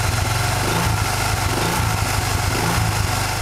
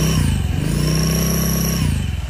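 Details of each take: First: Honda Vario Techno 110 scooter, belt cover off, with Proper Racing Line knurled clutch bell and original double clutch shoes: light throttle blips rising and falling; clutch area quiet, no whistle. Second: Scooter fitted with a hard-knurled clutch bell, shown for comparison: a thin, steady, loud high whistle over the low engine drone. This is the typical sound of a knurled clutch bell singing against the shoes.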